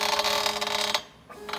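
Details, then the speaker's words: Zenbot CNC machine running its router: steady router whine under a rough rattling chatter that stops when the machine halts; gantry running noise, a bearing suspected of acting up, cause unconfirmed. "we got a bearing acting up so it hasn't went out on as yet but it still works but there's obviously there's something going on"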